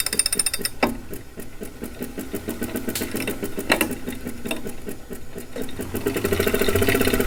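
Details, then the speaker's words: Replacement refurbished 2018 Wahoo Kickr trainer, microphone by the flywheel: a loose rapid ticking rattle, about four per second, grows louder as the flywheel spins up; far louder than normal but no vibration, so probably not unbalanced. "that's actually not how it's supposed to sound it isn't supposed to make much noise this one doesn't make the bike resonate though so I'm actually not sure what to do about that it's not supposed to sound like that but it doesn't shake the bike so it's probably not unbalanced it's just loud"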